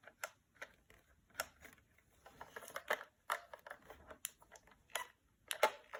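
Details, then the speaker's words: Off-road remote control truck with lights on: sharp irregular clicks in short bursts from the receiver, no motor running; it runs a few seconds then shuts off, receiver suspected faulty, unconfirmed; clicking with unit cutting out. "There's a tickling sound there from the receiver. There seems to be a issue in the receiver."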